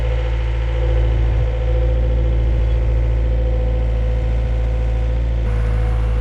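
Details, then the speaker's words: XL700 waverunner two-stroke after engine reinstall: firm steady drone holding even, no sputter or dropouts; running fine, fault had been just a hose. "all right well this thing seems like it's running fine now so uh wish i diagnosed it better instead of doing all that work on the engine"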